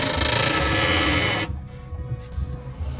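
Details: Chevette, steering hard with play; rubbing creak in short bursts about four a second as suspension is worked up and down, loud noise masking the start. Tie rod end, ball joints or control arm bushing suspected, not confirmed.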